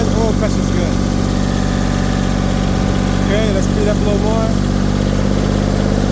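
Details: LeeBoy 1000 paver diesel that started then shut down, after fuel system repair and water removal; settles into an even steady low rumble with no misses, knocks or surging, a healthy stable idle.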